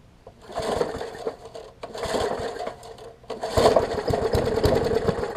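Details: Murray 20-inch 3.75 hp push mower, long dormant with freed stuck intake valve: several pull-start bursts, fast chuffing rattle dying without catching; cranks but won't fire, owner suspects spark plug or water/debris in combustion chamber.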